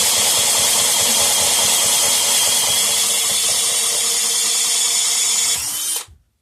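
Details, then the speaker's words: Previously seized air compressor pump, freed up and run briefly with no oil in it: fast, even high-pitched chatter with a rushing air hiss, running smoothly until shut off. The pump turns freely and pumps air. "Now, I don't want to run it too long because there's no oil in it. But, yeah, anyway, it's pumping air."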